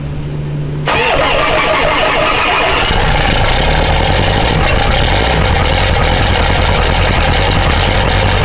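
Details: 2000 Ford 7.3 Powerstroke diesel cold start in 7°F Wisconsin weather (about 10 above said): brief starter whir, catches within a second, settles into loud steady even clatter, no lope, white smoke; normal cold start.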